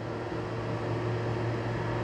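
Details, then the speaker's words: Lochinvar FTXL 400,000 BTU boiler, started cold after a flow switch/LWCO lockout so it ramps to 100%. A smooth steady low roar and even fan rush without surging or rattles at full load, reading 444 as expected. Normal firing. "now we have 444 with a full load so that what it's supposed to be"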